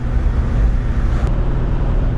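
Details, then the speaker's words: 1972 Chevelle Malibu 383 V8 after fitting Doug's 1 5/8 x 3" headers and Flowmaster 2.5" H-pipe exhaust, on a drive: deep, loud low rumble with choppy beat; louder inside and out, deeper tone, more chop, feels snappier; normal healthy exhaust note. "Like from the outside, it's definitely louder, but even on the inside, you can tell. Yeah, and I feel it's got a deeper tone. Yeah, I think so. I feel like there's almost more chop to it as well."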